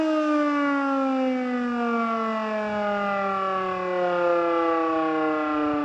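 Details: Older Federal Signal Model 2 siren (old CD control box) on an alert test: it never climbs to full pitch and the tone sags and wavers badly throughout; worn brushes suspected, not confirmed.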